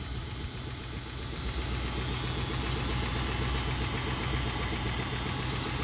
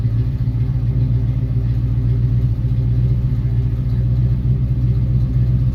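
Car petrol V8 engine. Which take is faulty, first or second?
first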